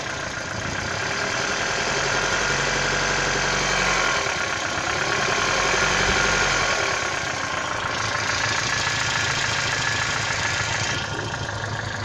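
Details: 1996 Toyota Caldina ET196 with the 5E-FE engine, a year after overhaul with new crankshaft and bearings. Sharp, regular ticking knock about three per second over a steady idle; internal knock, cause unclear.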